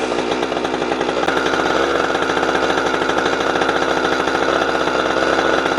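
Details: Husqvarna 455 Rancher two-stroke chainsaw, warmed up, cutting wood after a fuel filter change; it had bogged and choked when warm. Loud steady high buzz holds pitch without bogging; full power restored, old filter found discolored.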